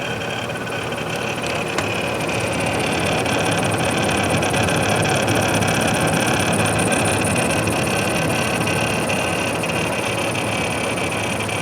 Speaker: the problems I encountered with first unit were first the pump rattling noise then one of the fans was making a grinding noise